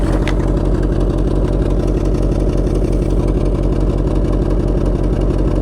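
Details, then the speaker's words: C4 Corvette V8 idling after a 5-mile drive: loping, uneven idle with a steady miss about three times a second; solid dead miss only at idle, clears when accelerating — engine misfire at idle. "She got a solid miss to her, but it only seems to do it at an idle."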